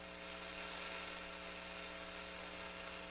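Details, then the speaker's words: Delco GM 34BFM1 AM/FM car radio on bench supply at 13.9 V drawing about 4.7–5 A (~70 W): steady hiss with low hum on one speaker, no music. Faulty amplifier output transistors. "4.7 amps we're getting noise on one speaker i don't want to leave that running too long i don't know what's cooking in there"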